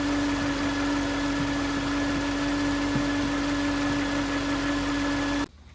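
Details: 2009 Range Rover Supercharged 4.2: steady mid-pitched whine over engine until it cuts off; listening on alternator housing confirmed the alternator as source, no engine codes; alternator replaced.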